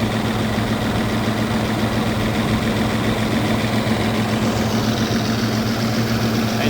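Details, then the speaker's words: 1995 Toyota T100 running a junkyard replacement engine, externally rebuilt with new head gaskets, water pump, oil pump and timing components but with a warped block, on first start: smooth, steady, even idle with no ticks or knocks, though slight white smoke appears. "is idling smooth. But we're starting to see a white smoke."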